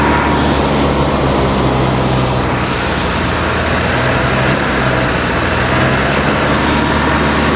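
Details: 1956 Buick Century, freshly professionally rebuilt V8 during break-in at raised fast idle; loud steady even rumble with no knocks or misses; temperature around 195°, running about 20 minutes without overheating, healthy.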